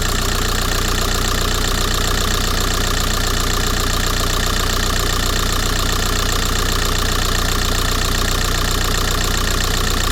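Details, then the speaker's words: VW Golf 4 TDI diesel that shook as if running on three cylinders, after repair, engine cover refitted loosely: even, steady diesel clatter at idle with no stumble or uneven beat; vibration gone, normal idle. "Ah, le problème est réglé. Vous voyez? Ça tourne bien. Hein?"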